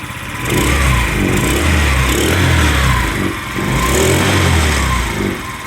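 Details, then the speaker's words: Scrap-yard Chinese scooter with a small single-cylinder engine, carburetor just refitted, air cleaner off, starts and revs up and down in uneven swells but keeps running without stalling; owner plans to adjust the carburetor. "actually she idles doesn't idle smoothly like I like it to but I'll tune that up a little bit adjust that carburetor a bit"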